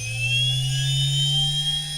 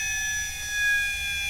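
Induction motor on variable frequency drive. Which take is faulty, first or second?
second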